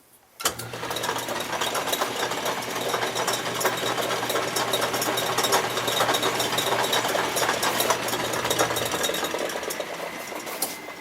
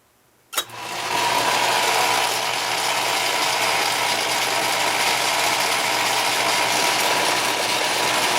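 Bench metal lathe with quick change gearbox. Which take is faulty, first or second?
second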